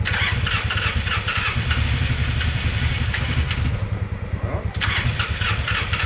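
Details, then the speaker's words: Polaris Sportsman 600 ATV on electric starter: fast, weak, uneven chuffs that never catch into a clean run; almost no compression. "all right YouTube we got some bad news with the sportsman six hundreds yep unfortunately she's got no compression"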